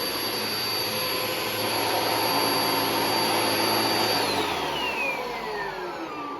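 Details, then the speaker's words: Miele Jazz or Hoover Nano Cyclonic vacuum, after cleaning the filters and hose: a steady high motor whine, then at switch-off the pitch slides down with a faint squeal as the brush roll coasts to a stop. The brush roll squeaks at shutdown. "kind of hear the brush roll it squeaks a little bit when it uh turns off"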